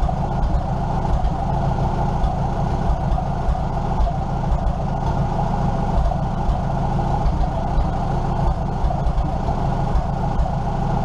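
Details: 1947 Farmall M tractor idling with the muffler pulled off: loud, raw, steady thump of the idling engine, running evenly with nothing amiss; normal idle without muffler.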